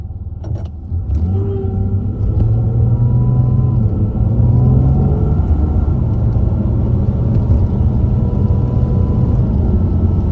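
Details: A thin, angle-grinder-like whine rises and falls with road speed over the engine drone on both acceleration and deceleration. It can be louder than the exhaust and is noticeable outside as well as inside. The source is not pinned down.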